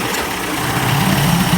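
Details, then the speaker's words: 1990s 30 hp Evinrude two-stroke outboard after carburetor rebuild and roller cam idle adjustment: steady low, even burble that firms slightly toward the end; idling and responding well, normal idle. "seems to be idling good responding good"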